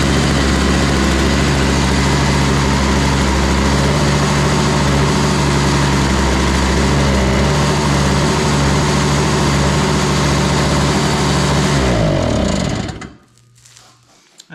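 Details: Toro Powerlite single-stage snow blower, model 381182, 98cc two-stroke, after fitting a new primer bulb, started on choke without starting fluid at 51°F: runs steady and even for about twelve seconds, then winds down and stops cleanly; healthy.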